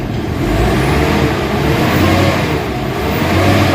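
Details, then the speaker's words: Isuzu MU-X diesel after low-power repair: revved, engine climbs and falls cleanly, pulling up quickly with no stumble, quiet underneath; throttle response now healthy and immediate. "Pag tinapakan mo, talagang galit na siya. So tingnan mo yung pako guys. Nagre-response talaga siya agad."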